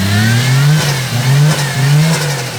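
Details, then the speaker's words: Skyline engine after refitted coil packs: it catches and revs cleanly in short blips, pitch rising and falling smoothly with no stumble; it runs on all cylinders, so the fault was likely just the plugs. "Sounds pretty good to me, guys. So I guess it was just plugs."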